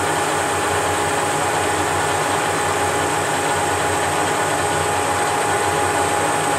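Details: Leveled Whacheon 17x40 gap bed lathe with taper attachment, DRO and quick change tool post test-cutting steel: steady, even hum with a constant high tone, no stutter, hesitation or pitch change through the cut; normal cutting.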